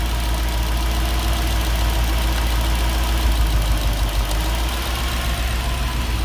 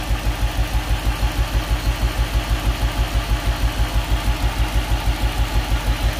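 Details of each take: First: Nissan D40 Navara with freshly swapped VK45DE V8 (replacing a VK45DD), just started after dirty plug contacts were jiggled clean: deep steady even rumble at idle, no skips, all cylinders running smoothly. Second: Nissan D40 Navara with freshly swapped VK45DE V8, first start, fuel system possibly still holding air, idling about 500 rpm: lopsided thump about three per second, one cylinder down; later found dirty contact.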